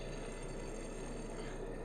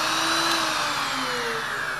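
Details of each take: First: Old Powr-Kraft 6-amp router, model 8542A, bearing failure: rough, gritty rattle with a faint metallic ring as the armature is turned by hand; the worn bearing even jams, and the armature looks burned from shaft wobble. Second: Vintage Powr-Kraft 8542A router, about 50 years old, after rebuild with new bearings: motor spins down smoothly with an even falling whine, no rattle or grind; runs normally.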